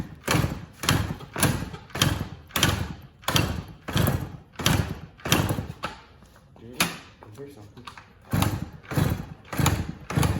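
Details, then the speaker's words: Yamaha PW80 with newly installed carburetor, choke not working; rhythmic heavy thumps every half second as kicked over, fires briefly but won't keep running; owner suspects no fuel flowing from carb even with petcock on reserve. "I already guys the reason that I don't the reason we think that it's not running is because as you can see I'll turn on the gas and reserve really to make sure that has gas flowing into it"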